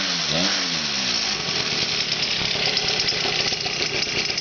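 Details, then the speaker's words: Mini bike with stock 49cc weedeater-style two-stroke engine, carburetor barely tuned: a brief rev settles into a steady, buzzy, high-pitched idle that holds even without stumbling; runs fine, though clutch chatter remains. "Idle's pretty good, not too bad, not too bad. Still working process here, but it does sound all right."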